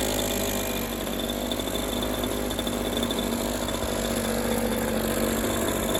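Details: Echo PB230LN older handheld two-stroke blower that wouldn't rev up, running outdoors with a rock-hard purge bulb after new fuel line and filter; steady high even buzz without surging or stumbling; seems to run all right, bulb full.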